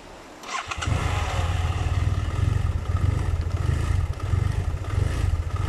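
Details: BMW F700GS idling unstably and stalling when clutch is pulled, especially with engine hot; fine at revs: starts and settles into uneven, wavering idle; cause was a faulty throttle position sensor, replacement fixed it.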